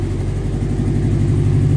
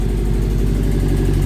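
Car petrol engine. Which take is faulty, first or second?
first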